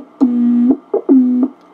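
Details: Heathkit VF-1 tube VFO, before its solid-state conversion, keyed into a receiver: each tone starts with a sharp click and a quick pitch slide, with a low hum underneath. Keying chirp and clicks.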